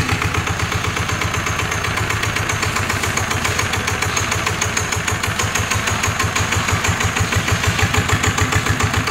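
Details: NF19 single-cylinder diesel, original: even solid thump about three beats a second with no shake or miss; no vibration, healthy and strong.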